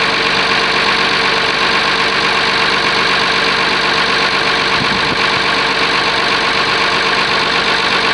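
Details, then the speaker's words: Oliver 1850 diesel tractor, genuine cold start at about 45 degrees, preheater uncertain: steady, even clatter at constant speed with no misses or knocks. Normal cold start idle. "yes this will be a genuine cold start I don't know what it's going to do we'll find out"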